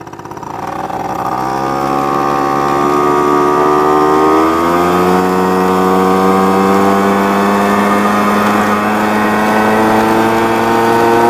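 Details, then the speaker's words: Honda Spree scooter after a $50 rebuild kit, new tire and brake repair, riding at about 25 mph uphill: steady buzzing two-stroke note climbing smoothly in pitch with no misses or knocks; healthy engine under load. "But I'll tell you, it feels pretty fast when you're doing 20. And it's running better and better."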